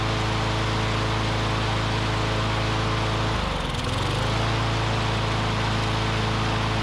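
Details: Curbside Briggs & Stratton Classic push mower engine; owner thinks debris in the fuel pickup tube cleared, and it runs on its own fuel at a steady, even beat, dipping briefly mid-clip and recovering. Normal running.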